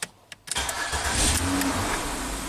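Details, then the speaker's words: 2006 Ford Freestyle towed in as a no-crank, during ignition switch wiring checks: a couple of clicks, a short crank, then an immediate catch and smooth, even idle after something was wiggled; fault now not reproducible. "Ah, so I think I wiggled something and now the car starts."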